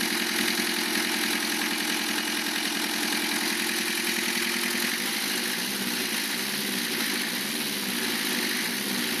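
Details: Lancia Thema 2.5 TD diesel after overhaul, idling: sharp, regular knock over the diesel clatter near the head; cutting injectors 2 and 3 reduces it only slightly; timing marks correct, oil pressure 2 cold, 1.5 warm; piston against liner or valve suspected, later piston.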